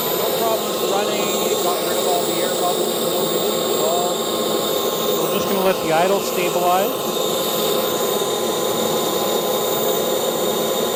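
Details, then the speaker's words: CARF Rebel Hot RC jet's newly installed turbine on test run, with telemetry, letting idle stabilize before the throttle check and max-throttle stabilization. A steady high whine holds even pitch, with no surging, popping or rattles. Normal, healthy turbine run. "we're just going to go through our normal process of uh letting the idle stabilize we will do a throttle check let the max throttle stabilize"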